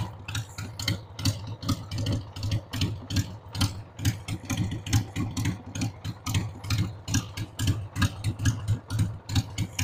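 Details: 1993 Harley-Davidson Sportster 883 Evo V-twin, sat about 15 years, running on a dead battery after starting fluid: uneven, loping idle with irregular low thumps about once a second, misfiring and stumbling; rough idle, owner says the carb needs cleaning.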